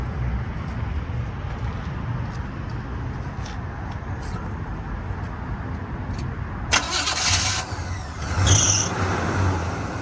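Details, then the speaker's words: 1977 Chevy Scottsdale C10 pickup V8: it cranks and catches with a short, chirpy accessory belt squeal over the settling idle, then runs smooth. "There we go. A little bit of belt squeal, but nice smooth sounding engine."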